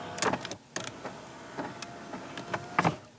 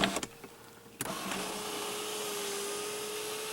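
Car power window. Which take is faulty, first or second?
first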